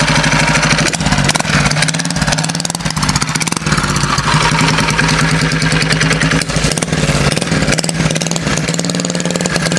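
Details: Homemade motorbike with a 120cc Honda GX engine, GTC TC2 CVT and lower-restriction exhaust, on its first drive after fitting a remotely adjustable main jet. Loud, lumpy, uneven single-cylinder burble under throttle; running very rich.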